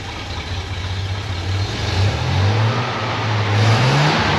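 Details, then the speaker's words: Engine idles unevenly, surging and hunting, and keeps running after the ignition switch is turned off before dying on its own; dieseling run-on, cause unclear. Less smoke on second run but some black sooty exhaust. "today minor issue it doesn't turn off with the ignition switch Yeah I'd rather it did although sounds like it just died on its own"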